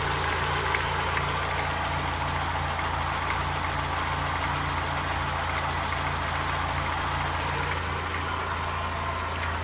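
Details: 1991 Mazda Miata, engine cold-ish at idle: faint, loosely regular knock about twice a second from the bottom of the block, quieter when warm, louder with idle droop; owner suspects a spun bearing, no codes.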